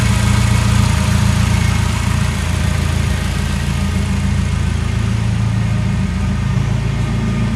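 Steady, even idle with a smooth low rumble and no ticking or puffing from the exhaust; engine sounds healthy and sealed.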